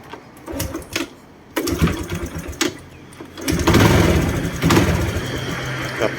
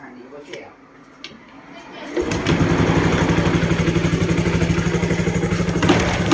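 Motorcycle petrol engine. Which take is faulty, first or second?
first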